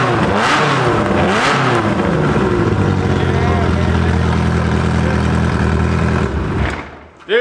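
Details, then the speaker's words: Ferrari F355 flat-plane-crank V8, sat bone dry, refilled with oil and first fired after flooding, no exhaust fitted: loud, crisp open-pipe revving and settling, all eight firing evenly, no stumble or knock; running well. "That's it, baby! It sounds so sick. That does sound really good. So can we not put an exhaust on it? Yeah, it needs to stay like that. It sounds really good."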